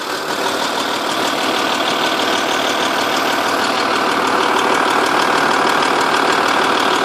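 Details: 2.5 V6 TDI diesel at idle: light, quick ticking about three per second, loudest from the sides and from underneath at the rear passenger side of the engine; cams previously changed; owner suspects a blown exhaust gasket, source unconfirmed.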